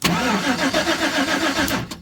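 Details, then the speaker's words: 2011 GMC Sierra, no-crank after owner pulled a fuse over backup lights staying on: starter cranks steadily about two seconds without firing, RPM signal present but no fuel pump heard; cause unconfirmed. "let's watch the tack got an RPM signal I didn't hear the fuel pump run"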